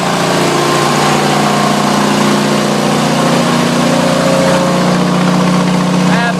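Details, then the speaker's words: Generator loaded on 240 V past 5,000 watts: loud, steady engine drone at even speed, no surging or misfire, no smoke; carries heavy load fine. "put one more on it that put us over five thousand kilowatts you can hear that machine still keeps running"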